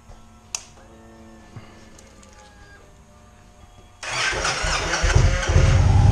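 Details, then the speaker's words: 2012+ Victory Cross Country motorcycle, first start after a fuel filter and air filter change, with no leaks found. After four quiet seconds the engine catches at once and settles into an even, deep, steady idle; it runs normally. "And there we go. Sounds good."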